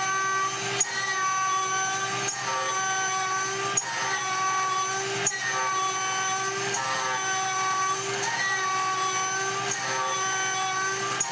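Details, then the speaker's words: Shariff DMC2 CNC spindle whine with layered steady tones and a sharp tick every 1.5 seconds as an end mill is pushed to its limit in aluminum; tool overloaded to breakage. "Next is a 6mm test, and I included this test anyways because you can hear the tool struggling, not on the cut, but actually on the ramp down. Eventually I e-stop this when I hear the spindle bogging down."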